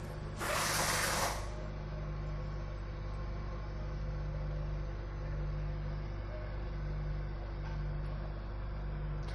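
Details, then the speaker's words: Car engine just restarted after a teardown to clean oil sludge caused by overdue oil changes; smooth steady low hum at raised fast idle with no knocks or misses, rpm up while warming toward about 80° operating temperature; normal. "ketika awal pertama kali hidup untuk RPM pasti dia akan naik karena dia akan mengejar suhu kinerja mesin di 80° kurang lebih"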